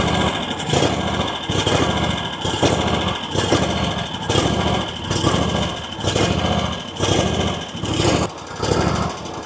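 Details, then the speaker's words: RedMax zero-turn mower with a Kawasaki twin, after new intake gaskets and refuelling: idle swells and sags about once a second with uneven backfire pops. Applying choke makes it idle up and run fine; the carburetor may need tuning. "So you see how it's surging now and kind of backfiring. If I pull this, if I give it the choke, it idles up and runs fine. Nothing else happens. So I'm wondering if that carburetor needs to be tuned."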